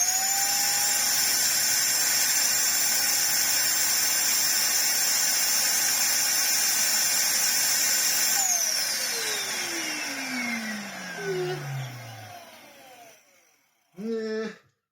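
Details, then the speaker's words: 2004 UDS Henry vacuum cleaner with a substitute motor that is not sealed to the bottom of its housing and smells bad; a shrill, rough high-pitched whine runs steadily, then winds down at switch-off. Harsh whine from the poorly seated motor. "oh that sounds horrible does it actually have in the [Applause] air oh no it smells oh no it smells awful oh wow that's a bit of a shame it's not fitting properly anyway cuz it's not sealed to the bottom of there"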